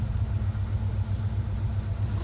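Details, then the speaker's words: 1977 Ford Bronco Ranger, frame-off restored, 302 V8, 3-speed manual, about 41,260 miles, dual exhaust; fires right up, deep even exhaust pulse with steady rhythm, mild tone, no ticks or knocks; clean normal idle. "Nice sound from the dual exhaust. Nothing obnoxious, but nice little tone. Fires right up."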